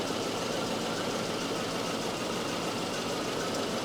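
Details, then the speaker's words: Volvo 244 idling after a Sun tester cylinder balance test: steady, even idle with no knocks or misses; cylinder numbers are very even, so the engine is in balance. The owner's head-gasket worry is doubted. "these numbers are very even these numbers are pretty even this engine is really inbalance"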